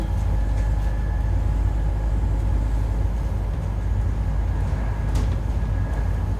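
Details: 2008 Euro 4 Alexander Dennis Enviro 400 bodied Scania N230UD bus on the move: faint steady howl riding over heavy low rumble; suspected dodgy bearing or worn tyres, not confirmed.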